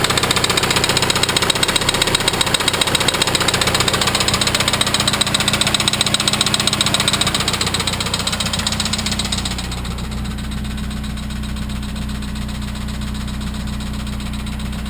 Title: Viggen Engine Knocking